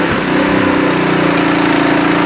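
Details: Nearly new Honda WB20XT water pump with GX120 engine that would not start, after carburetor cleaning: settles into a smooth, even idle with a steady note and no misses or surging. Normal idle.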